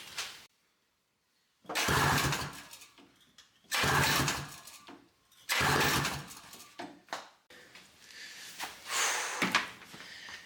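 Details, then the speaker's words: 1982 Honda Odyssey FL250 no-start, after swapping the ignition coil and spark plug: repeated cranking bursts of a few seconds with odd weak pops that never catch, firing intermittently; cause still unknown. "sounds better, a little bit. Sounds like it's kind of firing."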